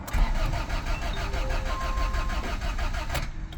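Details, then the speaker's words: Honda Civic EF sedan after timing belt work, with the fuel pump just rewired after being left disconnected: steady rhythmic cranking with no firing; owner suspected jumped timing but now doubts it: crank no start. "nothing more fuel more fuel God damn I thought for sure I don't think it's out of time okay so that wasn't it that was a good idea and at least it quit making a now it just turns over so I know"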